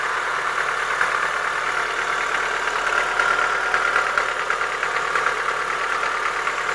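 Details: Chevrolet Lacetti 1.6 petrol engine at idle with sharp metallic ticking knock, about three a second: worn piston knock, cured by boring the block and replacing the piston group.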